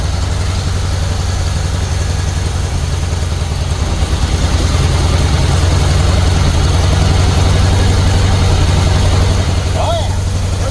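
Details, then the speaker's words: Pink Jeep start after reassembly with new valve seals, no valve covers yet: deep lopey uneven idle, about three pulses a second, with a hollow sucking note; dead cylinder, a valve held open by tight valve lash. "Yeah, I think it's got a dead cylinder though. You hear that sucking sound?"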